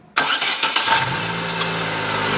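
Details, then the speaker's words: 2009 Chevrolet Agile 1.4: metallic tin-can-like scraping from the starter motor while cranking, at times louder; starter removed, no defective part found, but it was very dried out, so it was lubricated to fix the noise. "mas é um barulho ela ele raspar como se fosse uma latinha fazendo barulho só que tem hora que esse barulho fica mais alto"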